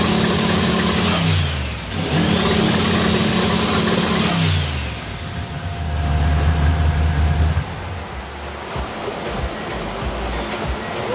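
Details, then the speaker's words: Car with newly installed MSD 2-step box: revs climb then hang flat at a fixed ceiling with crackles and pops; two-step launch limiter catching and holding rpm, working properly. "I'mma crank it up and let's see if we get some twostep."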